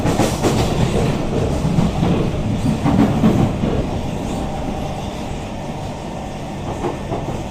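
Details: SMRT Kawasaki C151 train 075/076, car 1076 A1/B1 side, Boon Lay to Joo Koon: loose irregular rattle under wheel clack as the train decelerates, also sometimes at high-speed acceleration; strong burning smell noted though regenerative braking works; cause unknown.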